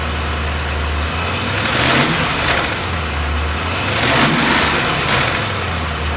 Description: BMW S62B50 vanos or timing chain noise, probably both. Upper plastic chain guide partly destroyed.